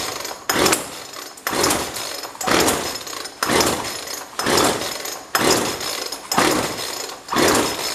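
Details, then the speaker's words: Jonsered 2036 Turbo chainsaw bought used, first start attempt: pull-start rasps about once a second, eight pulls with no pop or catch; won't fire, possibly due to choke setting. "foreign I don't even hear it trying to start we might have a problem"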